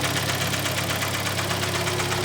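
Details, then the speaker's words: Hyundai ix35, G4KD petrol engine, 2011, 120,000 km, knocking hot and cold: loud fast even metallic knock about nine beats a second at idle, intermittently ringing; engine to be torn down, scored cylinders/piston slap suspected. "Как вы слышали, тарабанит неплохо."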